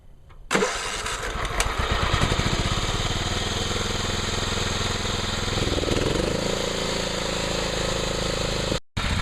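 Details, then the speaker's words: John Deere STX38 Hydro lawn tractor after new carburetor and oil change, float had stuck and filled crankcase with gasoline: engine catches and settles into a steady, even run with no misses or surging; runs and cuts fine. "seems to run fine seems to cut grass fine"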